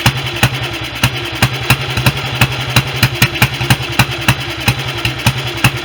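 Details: Restored BSA B31 single-cylinder on magneto ignition, first run with 30-grade oil and no gauze on the carb, owner planning a smaller jet: a slow, lumpy, unevenly spaced thump of about one beat a second, with carburation and ignition still to sort.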